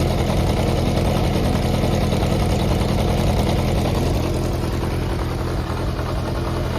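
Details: Yamaha XJR400 (4HM) engine assembly, compression tested, no abnormal noise or white smoke: smooth, even four-cylinder burble at steady speed with no knocks, ticks or rattles; normal running.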